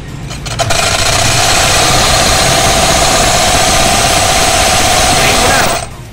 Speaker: Pakinggan na natin. Parang may gumigiling na lata.